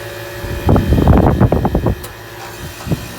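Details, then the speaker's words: 2000 Payne teardrop heat pump running: uneven bursts of rattling clunks over a low hum, then quieter knocks; sounds terrible and is expected to fail soon, cause unclear. "not paying teardrop's definitely gonna go soon"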